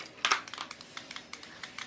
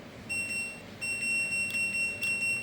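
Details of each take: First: LG front-loading touchscreen washing machine F1014NTGW with intermittent error and hard starting, control module bench-tested with display cable spliced: indicator lit and an irregular rapid clicking of a dozen uneven ticks in two seconds, a relay chattering on an unstable supply. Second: LG F1014NTGW front-loading touchscreen washer after display module repair (was intermittently erroring and hard to start, touch keys unresponsive): crisp high beeps with each key press, no dropouts; touch keys now respond normally, though the rotary knob still doesn't work.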